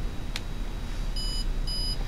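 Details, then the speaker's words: PDX-R parallel print data recorder, memory card installed, switched on: two short, clean high-pitched beeps about half a second apart confirm proper operation. Normal power-up beeps. "install the memory card before applying power listen for the beeps when you power"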